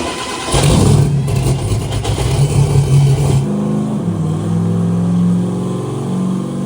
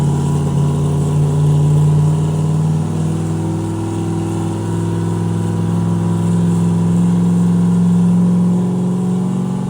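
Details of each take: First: Turbo Corvette "Ruby" run on Ignite E90 ethanol blend, run number 2, fuel raised 30% for consumption, no timing change: deep strong V8 roar pulls hard and clean under load, revs fall away smoothly, no misfire; normal turbo engine pull, big gain. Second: Turbo 427 Corvette running moonshine on the dyno at about 6–7 psi with no boost controller: the full-throttle pull drones roughly and flattens out, bogging. Suspected fuel starvation from the single, unhappy-sounding pump; it fireballed at the end.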